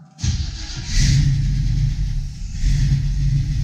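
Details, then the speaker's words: 1972 Chevy Nova SS V8 with new FiTech fuel injection, fresh oil and filter, cold start at 44 degrees after fuel pump prime; quick catch, fast-idle flare, then steady even V8 beat, oil pressure up, healthy cold start. "and the cool thing is I got my oil pressure we're back forty years I don't want this to run too long it does steep but I just want to run long enough get the oil to circulate a little bit"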